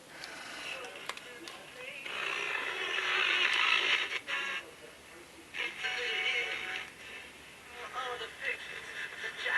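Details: Mid-1960s General Electric transistor radio after restoration and antenna lug resoldering: a station plays clean and steady through the small speaker, thin on bass, with no crackle, hum or dropouts; working properly.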